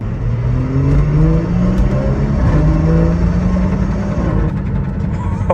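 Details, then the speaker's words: Abandoned BMW 340i at 80,001 miles, first drive after its transmission fault was fixed, low tire pressure limiting acceleration: deep exhaust note rising smoothly through the revs, easing off with light pops, no slipping or clunks; normal acceleration. "Oh, low tire pressure, so it didn't let me accelerate. Dang it! That sounds so good"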